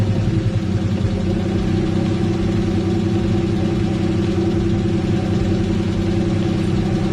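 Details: Engine run before removing cams to locate a knock thought to be rod knock: steady petrol idle with light, quick top-end ticking from seized hydraulic lash adjusters (HLA lifters), not bottom-end knock; lifters then freed/redone.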